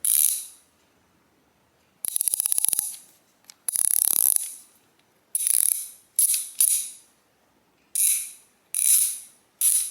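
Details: Brand-new Harbor Freight ICON 3/8 swivel head ratchet, bone dry inside: loud tinny metallic clicking on each back-stroke, steel-on-steel contact; needs cleaning and oil/grease.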